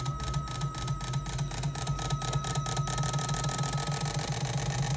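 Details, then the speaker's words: Toyota fuel injectors on a cleaning and calibration machine, in the second position simulating a running engine: rapid, even ticking over a steady pump hum, with all four injectors spraying equally after calibration. Normal injector spray pulsing. "Мынау мысалы от алып тұрған кезде шашып жатқан түрі. Қарап тұрсаңыздар, төртеуі де бірдей."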